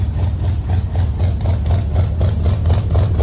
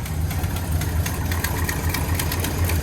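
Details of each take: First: 1974 or 1975 International 150 pickup V8, new fuel filters and a temporary race fuel tank, first start in the cold: deep, even burble at steady idle with no skipped beats after clearing out; now all eight cylinders are firing. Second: Classic International 150 pickup V8, cold in the shop: lumpy idle that skips as if a cylinder is dropping out, smoking a little. All eight fire once it clears out.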